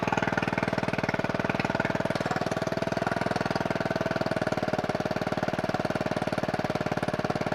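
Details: Scooter-engine reverse trike after years sitting, ignition rewired, oil checked, no coolant in it: quick, even firing beat at steady speed with no misses or knocks; running smoothly.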